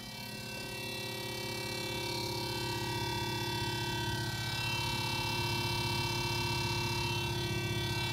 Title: Refrigerator noise